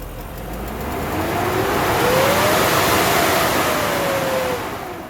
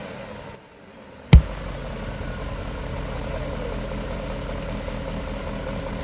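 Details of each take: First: BMW M60/M62 V8, cold engine: loud airy turbine-like roar swelling with each rev and fading, from the faulty viscous fan clutch that stays engaged cold and spins the fan fast even at idle; replaced. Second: BMW M60/M62 V8 (E31/E32/E34/E38/E39), cold idle after sitting over a year: even idle with soft fan whoosh, papery flutter as fan is stopped with cardboard — viscous fan clutch slipping properly, normal.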